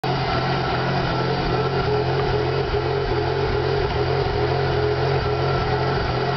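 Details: 2001 Pontiac Grand Prix GTP petrol V6 with an uneven, pulsing, wavering idle rumble, recently bought. It stalled on the freeway and the IAC valve was found faulty, then it jerked and shifted hard (owner suspected transmission slipping).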